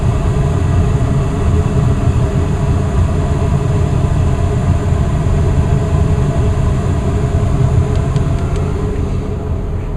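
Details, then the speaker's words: Westinghouse gas furnace indoor unit, installed new in April, in heat mode: after the thermostat is turned up the blower goes from its slow start into high speed, a steady deep whooshing rumble with an even hum and no rattles or scraping; normal. "Now since I turned up the temperature a little bit higher, the fan is going to go into high-speed mode. Alright, now I can hear the fan go into high-speed mode."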